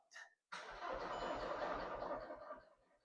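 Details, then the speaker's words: 2008 VW Golf Mk5 1.9 diesel with a starting problem, during fuel pump diagnosis: about two seconds of lazy, uneven cranking, engine doesn't catch; battery thought OK, starter motor suspected to be getting slow, unconfirmed. "I mean, the it doesn't seem particularly healthy with it cranking. >> I think the battery is all right, but I just think the starter motor is probably getting a bit slow,"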